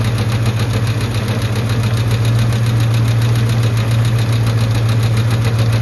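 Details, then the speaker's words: Light regular tick, two to three per second, over steady idle; heard on pulling off or stopping, slows as the oil warms with pressure good; owner suspects an oil issue or the power steering pulley, not confirmed. "Ticking's starting to get a lot slower. It might be an oil thing, but I know when you take off, you hear that, or when you stop, you can hear that little ticking, and then it goes away."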